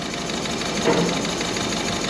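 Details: Peugeot 2008 diesel that broke down on the motorway: busy clatter at hot idle with an uneven, lumpy beat from dead cylinder three injector; unplugging it makes no difference, unlike the other injectors.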